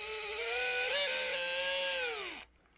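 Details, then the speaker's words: Titan 21-turn 550 brushed motor from a TRX4, powered on the bench: loud piercing squeal dropping in pitch as it winds down; owner says it needs cleaning, possibly worn out. "super squeaky horrible noise you know what it sounds like you maybe had it happen and i looked it up on youtube"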